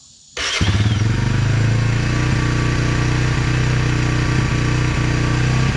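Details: 1999 Honda TRX 300FW ATV after sitting for years with bad gas, carburetor cleaned and reassembled: catches at once and settles into a steady single-cylinder putter with no grinding or misses, a clean start and healthy idle.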